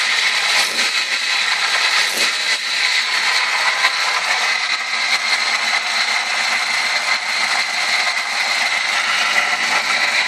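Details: 1998 Ford ZX2: a thin, steady high-pitched whine over a faint engine hiss, barely changing. High-pitched engine whine, source unknown.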